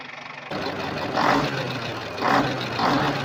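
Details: Volvo TWD121 stationary 6-cylinder turbodiesel after fixing a loud knock by replacing one intake valve and a gasket set: steady running under loud mechanical clatter, a soft surge roughly every second, no sharp knock; normal running after repair.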